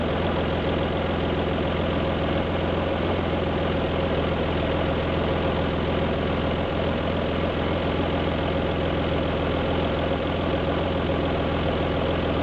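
Lumpy, uneven idle with the exhaust beat stumbling every so often; one cylinder is misfiring.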